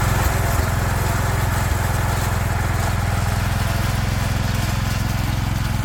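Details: 36-year-old Toro Wheel Horse 416-8 garden tractor after fixing a leaking fuel line: even, steady low thump about 3–4 beats a second with no misses or surging; sounds pretty good, normal running.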